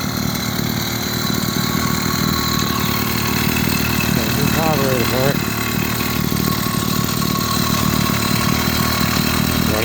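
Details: 80cc two-stroke motorized beach cruiser bicycle after fitting a performance aftermarket carburetor: steady fast buzz with even firing, no misses or hunting; runs clean, normal running.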